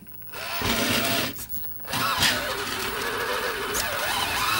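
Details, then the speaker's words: Cheap AliExpress brushless motor on an AM32 ESC in an RC rock crawler: high electric whine at low throttle drops out briefly, then picks back up; the owner sees this hiccup as a sign more throttle is needed. "Oh, you see it? kind of hiccup right there. When it does that, I that's kind of just a sign that the motor's"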